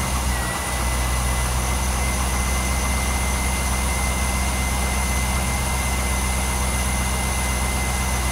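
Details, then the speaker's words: 2003 Corvette C5 V8 idling just after a new water pump and belt install and a coolant refill. A steady, even low rumble with no chirp or squeal. The earlier belt chirp is gone and no obvious leaks are seen, so normal idle. "so far I don't hear that little chirp that it had either so hopefully that belt took care of that"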